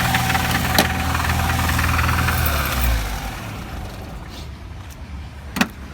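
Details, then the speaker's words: VAZ-2101 engine idling on choke: regular deep knock about four per second until stall; knock traced to one cylinder by disconnecting plugs, pointing to its connecting rod bearings. Connecting rod bearing knock. "Вона на підсосі для того, щоб розуміти, щоб чутно було стук. Так, ми чуємо стук дуже ярко."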